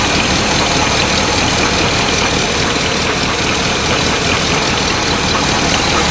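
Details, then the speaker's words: 1984 GMC K10 Suburban, first start after sitting about 20 years, with vacuum lines unhooked: rough, uneven idle with raspy puffing and an occasional stumble; owners suspect a small exhaust leak underneath plus a slight miss. "yeah prob be a little exhaust leak down there yeah it's also got a slight Miss to it which I mean my God it ain't been running in 20 years"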